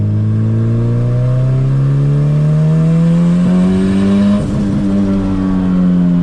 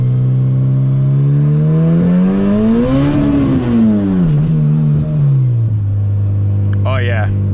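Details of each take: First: Boosted CRX on its first drive after sitting seven months, first-gear pass: engine note climbs steadily with a brief dip midway, no flutter or chatter; a noise heard on an earlier pass did not recur this time, owner unsure why. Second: Boosted Honda CRX, first drive in 7 months: engine note climbs then falls through a gentle first-gear pull with a rough, uneven fluttering edge under boost; cause undetermined.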